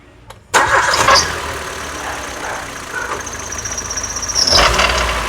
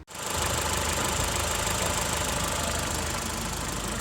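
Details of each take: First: Ford EcoSport with Sigma engine: rough gritty whirring that rises with throttle blips and settles at idle, sounding like internal engine rattle; worn water pump bearing, repaired with timing belt replacement. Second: Ford EcoSport with Sigma engine after timing belt replaced and set with crankshaft lock, fixing a loud rattling, valve-knocking noise: even, steady idle with smooth hum, no knocks or squeals; runs like new.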